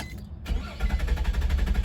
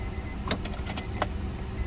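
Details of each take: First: 2004 Nissan Maxima with hard starts after earlier crank-no-start: steady rhythmic cranking chugs long before catching, key must be held; hard start, cause not yet found. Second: 2004 Nissan Maxima after crank-no-start/hard-start repair (connector reinstalled, codes cleared), repeat restart: brief clicks, engine catches almost at once and rises to a steady healthy idle; normal quick start.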